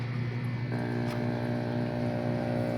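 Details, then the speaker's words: Aquarium air pump after resetting the screw at its rubber diaphragm: steady low hum with an even buzz, no rattle or irregular knocking; now running quietly and smoothly, fixed. "Ayun na, guys, okay na siya. Yun lang pala yung yun, okay na."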